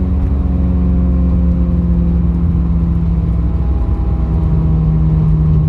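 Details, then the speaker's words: 2020 Subaru WRX in a 3rd gear wide-open-throttle pull, strained uneven drone; cylinders 1 and 4 misfiring with no check engine light; new coil packs and NGK plugs on order, retune pending. "i don't like this sound i threw a one on the on the on cylinder one again something's not right"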